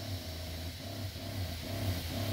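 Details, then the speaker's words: DIY 12 V soft wash setup, entry-level pump run from a marine battery on first trigger press: low throbbing hum pulsing and surging unevenly every fraction of a second; owner unsure if normal, suspects possible leak in system. "you hear that Wow I don't know if that's normal and if we're gonna figure that out"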